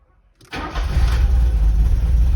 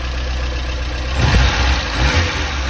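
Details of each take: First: Porsche 924 after distributor rebuild, cranking and firing with vacuum advance locked and timing turned a couple of degrees counterclockwise, before strobe fine-tuning: catches quickly then settles into a heavy, uneven low rumble; rough running from incorrect ignition timing. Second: Warm Porsche 924 idling after ignition timing set to 20° BTDC, while being checked for a hot-start problem: steady low beat with one brief throttle blip, then even again; normal healthy idle.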